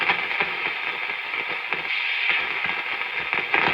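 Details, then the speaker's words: Antique Philco 46-480 AM/FM/SW radio on the shortwave band: a steady hiss with irregular crackles and pops and only a faint station buried underneath. It picks up mostly static noise. "So he was picking up some shortwave and some noise."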